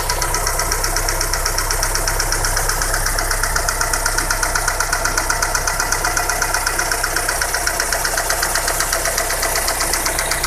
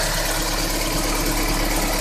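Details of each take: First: Daewoo Nexia with 8-valve GM engine idling: crisp steady tapping knock about four a second, same cold and hot; hydraulic lifters already replaced, no piston issues; worn rocker arm. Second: Daewoo Nexia GM 8-valve after replacing a worn rocker and dressing the camshaft: smooth even idle with only timing belt, slight whine and injectors audible; the knock, previously identical cold and hot, is gone.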